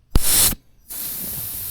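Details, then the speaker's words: Blow-off valve pressurized with compressed air on the bench: a sharp burst, then a steady thin hiss that holds level. The diaphragm valve holds pressure; the air escapes at the hose coupler, not the valve. "It's leaking, but it's leaking from this my um coupler thing here."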